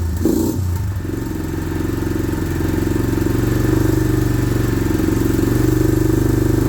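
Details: Suzuki Vinson 500 quad before repair, coolant blown from the cylinder: an uneven, lumpy single-cylinder beat around four per second with clatter on top, running rough. The owner suspects a knock from coolant, and a loose chain sprocket with a missing bolt is probably rattling.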